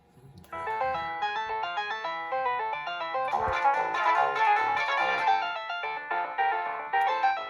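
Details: Williams Fire! pinball in music test after MPU repair (alkaline corrosion abated, SRCs replaced with SRs, input power filter cap replaced, NVRAM added): a clean, steady electronic tune with clear notes and no dropouts, buzz or distortion, so the sound board works normally.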